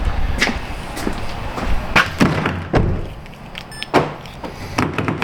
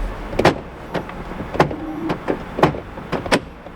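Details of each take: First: 2011 Kia Sorento LX after fix for doors not unlocking except driver's: crisp, solid clunks at uneven intervals as locks cycle, no grinding or buzzing; actuators healthy, power locks normal. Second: 2011 Kia Sorento LX power door lock actuators give short clunks as the switch is cycled; all doors lock, but only the driver's door unlocks.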